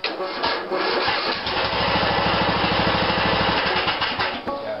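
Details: 16.5 HP Briggs & Stratton mower engine after dry starter was taken apart and put back together: brief cranking catches quickly into an even steady single-cylinder beat; normal start.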